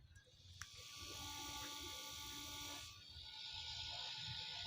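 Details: Battery-powered double-motor agricultural sprayer pump motor, run on its own after repair: light, steady whir with even high tones and no rattle or grind; runs smooth and quiet.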